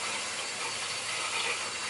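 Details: Hot water heating loop after replacing leaking pipe in garage ceiling: steady hiss of air escaping at purge station, no gurgle yet, pressure kept under 30 to avoid blowing relief valve; trapped air still bleeding out.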